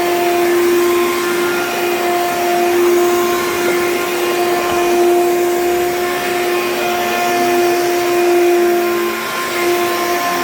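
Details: Hoover U3109 5.5 A vacuum, dirty: loud, steady motor roar with a fixed mid-pitched hum; runs much louder than it should, cause unclear, and smells burnt afterwards.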